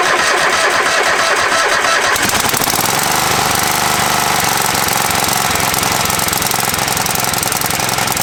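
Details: Free Craftsman riding mower said not to run; with a new battery installed, starter cranks briefly, catches around two seconds in and settles into steady even idle, no knocks or misses; non-start was a battery issue.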